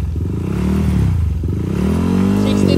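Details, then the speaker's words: Yamaha Aerox V2 scooter, freshly built 195cc Bulacan engine (+4 crank, rod kit, RS8 34mm throttle body, 180cc injector), Shark Tip exhaust, first start before break-in: smooth note rising and falling with throttle, no clatter or knock; quiet, healthy. "Kaya mga idol, tahimik na may makina niya. Ang tambucho natin gamit dito ay shark tip. Yan, tahimik na tahimik ang makina."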